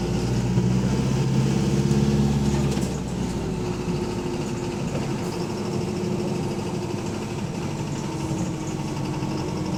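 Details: Bus AL HV48 on route 335: low diesel drone with a loud, rough repeating knock about three to four beats a second; rod knock suspected, not confirmed.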